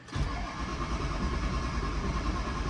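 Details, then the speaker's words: 2003 Ford F250 6.0 diesel with high-pressure oil pump replaced two months earlier, crank no start: steady cranking with no firing; ICP reads nothing while IPR maxed, FICM sync and voltage present. "You see we are making nothing. IPR is maxed out, we got sync, we got voltage."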